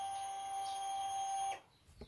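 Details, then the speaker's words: Honda Vario 125 LED scooter with electrical failure: steady high fuel pump hum runs about 1.5 seconds then cuts off abruptly as the loose ignition switch connector is wiggled, switching power on and off with the key off; fault traced to that socket. "Nah, terdengar full pumpnya, padahal ini tidak saya kunci kontak ya."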